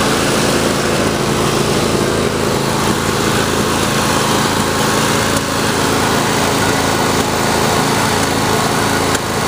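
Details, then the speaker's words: John Deere D140 mower engine running fast and steady with occasional pops through the exhaust; backfiring persists despite new spark plugs and fresh gasoline, valves suspected, not confirmed. "You can hear it backfiring, popping through it. Yeah, I think definitely is popping on her for that."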